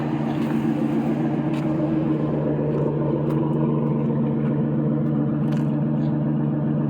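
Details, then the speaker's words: 2000 Ford F-250 4x4 with V10 engine running: a steady, deep, even rumble with no smoke, ticks, knocks or misses; healthy; normal running. "no smoke no ticks no Knocks"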